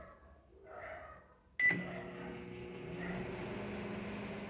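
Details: Microwave after repair for not heating and making noise: a click, then a steady, even hum with a light buzz that holds without rattles; running normally.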